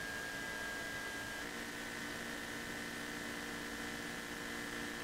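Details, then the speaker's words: Mazda BT-50 diesel after fuel filter replacement, recorded near the tank while priming: an even, constant electric whir with a steady high tone and faint gurgles as air passes through, like a spa bath. The in-tank pump is priming normally and runs continuously. "You may hear some gurgles as well as some air passes through. There you go, sounds a bit like a spa bath."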